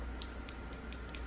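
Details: Presumably good fuel pump for a 5-speed BMW E36 328i, abandoned over five years, bench tested after the other pump only struggled; steady low hum with faint constant whine, no stutter; pump runs evenly and healthy.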